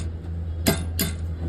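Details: Toyota Hilux: two sharp metallic clunks over a low engine hum as a worn, cut stabilizer link bushing lets the link rattle and knock; fix is replacing the bushing.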